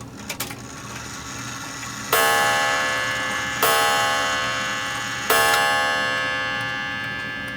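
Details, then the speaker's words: American-style striking clock, hands moved from 10 o'clock past the half hour: three slow fading gong strokes instead of 11, strike out of sync with the hands, count wheel needs resetting. "nope not 11 o'clock"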